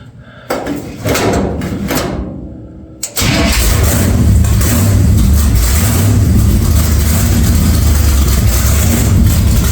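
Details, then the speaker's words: 1946 Chevy truck rat rod start-up: cranks about three seconds, then catches and settles into a loud, deep, steady idle through the open exhaust; oil pressure took a while to come up, cause unknown; otherwise a healthy start. "So, there we go. She fires up. She got a lot of stuff done on her today and this weekend, so that looks pretty damn schnazzy and it's loud."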